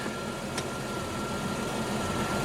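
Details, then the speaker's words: Slant Six Valiant at idle after its first valve adjustment: quiet, even idle with no misses or knocks; earlier valve ticking now barely audible; owner plans a PCV valve change for exhaust popping. "but that runs great and it's so much quieter had a lot of ticking before now you can't hear it"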